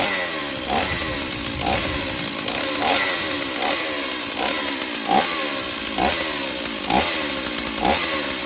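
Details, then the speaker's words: Stihl 028 Wood Boss chainsaw after replacing a cracked pulse line, air filter off: steady high two-stroke buzz with throttle blips that clean up at once; runs fine but weak, needs tuning and servicing. "Yeah, I don't think there's anything wrong with her. I think just some tuning and a little bit of servicing, I think this thing will be great."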